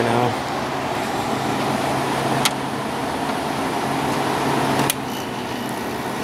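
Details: Fedders 8,000 BTU window air conditioner with Sanyo compressor, after cleaning coils and base: even steady fan and compressor hum with two sharp clicks, likely thermostat; runs smoothly.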